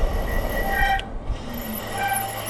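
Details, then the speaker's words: Lectric XP 3.0 folding e-bike (2022, disc brakes) after almost 20 miles of riding: steady high-pitched squeal over rolling noise, stopping briefly then returning as the brakes are applied; noisy disc brakes needing improvement. "Brakes are still very noisy. So yeah, the brakes definitely need some improvements."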